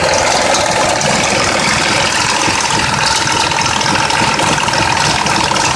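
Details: 2004 Mazda 6s 3.0L V6, 170k miles, new plugs and coils, pre-cats just replaced after being nearly fully clogged: uneven idle with fast ticking and metallic rattle; owner suspects the bank 2 VVT solenoid needing replacement, unconfirmed.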